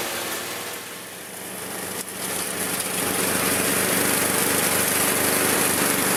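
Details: Old Murray riding mower, single-cylinder, restored after engine problems, mowing: steady even beat around four pulses a second under load, running cleanly with no knocks; works great after repair.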